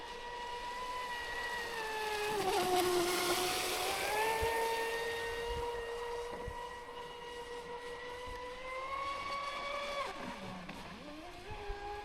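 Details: Traxxas Spartan SR RC boat on 6S at speed, after repair (servo mount replaced, hull bottom repaired), near end of pack; clean high-pitched whine rising and falling smoothly with throttle over water, no grinding or stutter; normal running.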